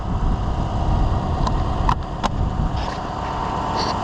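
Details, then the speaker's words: 2015 Chevrolet Suburban after replacing a whining, overheating, non-charging alternator. Engine idles with a steady low rumble and no whine above it; the new alternator runs quietly: normal alternator running. "It's not making that whining noise anymore."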